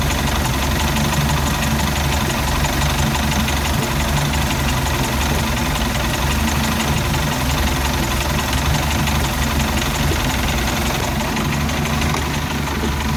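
Low, uneven idle with a lumpy, stumbling beat and some knocking through the rumble; the marine engine is running rough, cause unclear.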